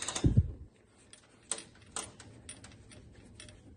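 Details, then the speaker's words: First-gen 12-valve truck, fan pulley removed and hand-spun in a quiet shop: a few dry, uneven clicks about twice a second; owner suspects this rough-spinning fan pulley bearing is the squeak's cause, balancer spins fine. Not confirmed. "And it doesn't really spin the best. So I'm thinking that if you can hear the clicking, thinking that is the culprit of our squeak."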